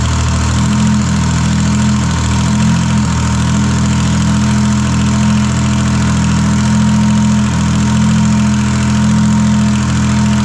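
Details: Detroit Diesel 3-53 at its first start after 25 years: a steady, even idle with a deep low drone and no knocks or misses. The 2000 rebuild had the camshaft installed backwards so it never ran, and the cam was then reversed; it now runs smoothly.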